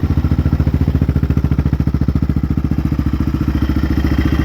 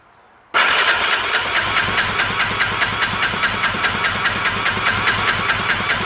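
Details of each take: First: 2001 Yamaha Raptor 660R single, rebuilt with a big bore kit and cleaned carburetor, warmed up: even, steady thumping at a settled idle with no misses or stumbles and no smoke; normal idle, still needs a little tuning. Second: 2001 Yamaha Raptor 660R; the starter churns steadily for about nine seconds with even compression pulses, never firing; compression won't pass 120 psi (needs at least 140) despite soaking, from worn cylinder, piston and rings.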